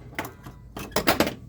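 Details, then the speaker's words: South Park pinball machine during a solenoid test after NVRAM install, previously showing no solenoid action: sharp mechanical clacks, some single and then a quick cluster of three, each coil firing crisply. Solenoids working normally. "Anyway, as you can hear in solenoid test, things are working."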